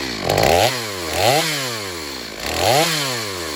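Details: Stihl MS250 chainsaw test cuts after a carb tuning job for not restarting when warm; tuned a touch rich for break-in, possibly slightly low compression. Revs into repeated cuts, pitch dipping under load then recovering, pulling strongly. Healthy cutting under load.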